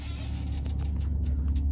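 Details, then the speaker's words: Raised idle with auto idle switched off, heard from inside the cab: steady deep drone, louder than auto idle, no knocks or surges; normal high idle. "Now that's it cranked up at full idle, so you can tell it's a little louder."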